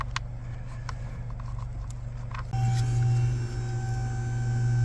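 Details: Vehicle dash with no heat on defrost mode: sharp, uneven clicks over a low idle rumble from the mode door actuator whose drive gear skips on a broken plastic mode door lever; accessed by removing steering column and brake pedal.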